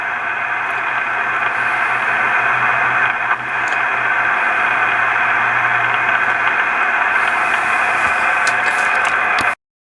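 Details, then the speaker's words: Yaesu FT-101 receiver with erratic noise, owner suspects a mechanical fault such as a capacitor or other component: steady hiss and static with faint tones and a brief dip, solid at one setting but worse at spots when turning the VFO; intermittent receiver noise. "But right there, it's completely solid, nothing going on. But as I turn the VFO, I can get spots that gets worse."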